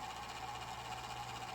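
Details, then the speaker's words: Golden Tee Fore arcade machine cooling fan during power-up checks: small fan whirring with steady mid-pitched whine and rough buzzing edge; dry noisy bearing, owner plans to oil it again. "that fan is atrocious I'm gonna have to fix that as well I'll just oil it again"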